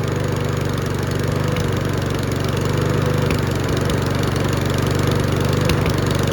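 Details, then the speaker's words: Mountfield V35 150cc push mower engine runs unevenly, popping, hunting and surging, needing a carburettor clean. "Can you hear it popping? Now hunting and surgeon's coming into it as well."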